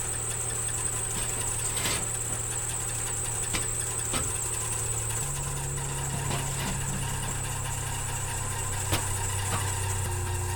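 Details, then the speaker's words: Nissan Micra K13 off-road build, parked over a year, before service: a steady high-pitched squeal rides over an even idle without changing, the worn auxiliary belt slipping on its pulleys; belt being replaced. "As you can hear, the Orc's belt is quite quite squealy. That's why we're changing it."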